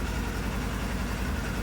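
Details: Polaris General 1000 after replacing the blown primary clutch, which had caused slamming into gear and no park, with an RZR 1000 clutch and stock belt. Steady low idle with a smooth drone and no clunks while shifting; normal idle.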